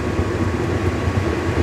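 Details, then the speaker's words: Attwood 8535-III RV furnace after reassembly with a new blower motor; the original burner tube (small rust hole) and original electrode are refitted. Lit, it gives a steady low rumbling roar with no popping or sputter, burning like a champ. Normal burner operation. "Well, y'all can probably hear burning like a champ."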